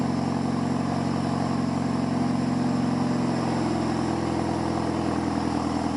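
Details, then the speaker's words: Boosted Hyundai Genesis, cold start at about 70°F after a major exhaust leak was fixed and the heat shield trimmed: an even, steady low idle with no puffing or ticking from joints, only the intentional dump valve leak. Normal idle. "Alright guys, so this sounds 10 times better than what it sounded like. I don't really hear any exhaust leaks except for the one that's on purpose, which would be from the dump."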